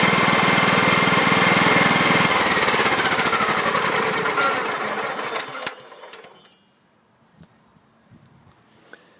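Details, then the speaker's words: 2006 John Deere L110 with Kohler Command 17.5hp, first run after 2 years parked, with a new battery, fresh fuel and oil level corrected. Steady, even chug at a fast clip with no knock, then a clean shutoff: normal running. "so that turned out pretty well i'm happy with that a little bit of oil burning off of the muffler"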